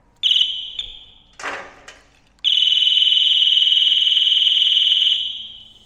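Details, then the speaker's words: Ducati 748 that doesn't run: connecting the negative terminal of a charged battery sets off the bike's alarm, a piercing high warble pulsing about four times a second, starting in bursts then holding; key fob doesn't work. "If I connect this up and the alarm goes off, well, it'll be really noisy. If the alarm doesn't go off, then there'll be questions to be asked about what's wrong with the alarm. Alarm goes off. Damn it, that's quite loud."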